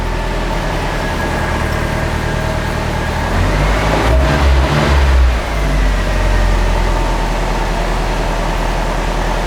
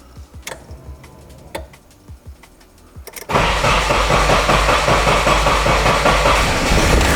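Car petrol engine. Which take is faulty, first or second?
second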